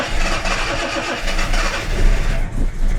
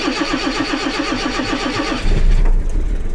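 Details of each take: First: Jaguar XJC XJ6 with Stromberg 175 carburettors and water chokes, cold start in cool weather: engine coughs and surges, only catching when the throttle is gently pumped, barely holding idle; insufficient choke, before choke adjustment. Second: Jaguar XJC XJ6 with Stromberg 175 carburettors after adjusting the water chokes, cold morning start: about two seconds of even cranking, catches on the first try, uneven cold idle reaching about 700 rpm after 30 seconds; much improved, not perfect.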